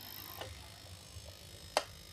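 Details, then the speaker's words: Puliwang PDC fish-shocker inverter in a metal box after the anti-noise fix, tested with the box closed: faint, even low hum, no buzzing or whine, with a single sharp clack; much quieter than at first. "Hasilnya sempurna. Suaranya tidak berisik sama sekali seperti saat pertama kali kami mencobanya tadi. Suaranya sebenarnya merata, kan?"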